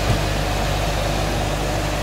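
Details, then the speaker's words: Electric motor trial run after installing new bearings: steady even hum with loud fan rush, no grinding or bearing noise compared with the old bearings; successful repair. "well the fan is making a lot of sound but there is absolutely no bearing sound now compared to the old bearings this is extremely silent"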